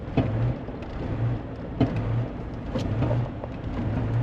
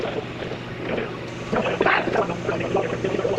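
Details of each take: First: 1991 Range Rover Classic Hunter, not driven in years, being driven to the shop with the pedal floored. A low, labored drone with uneven surges never pulls cleanly; loss of power under load. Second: 1991 Range Rover Classic, unused for years, running again after new fuel pump and replacement starter; steady idle with even low exhaust beat and wind on the microphone; normal idle.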